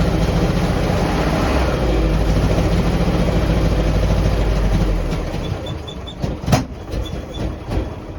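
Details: 1949 Jeep CJ3A hard start and rough running after sitting since last fall, despite new coil, points, rotor, cap, clean plugs, fresh fuel and two-year-old carb. Uneven, stumbling chug for about five seconds, then it dies with clanks; owner suspects points or a stuck valve.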